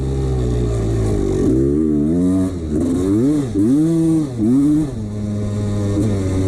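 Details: 1989 CR250 two-stroke revving in bursts with a hollow metallic rattle over the exhaust; piston slap from a worn piston that the owner ignored.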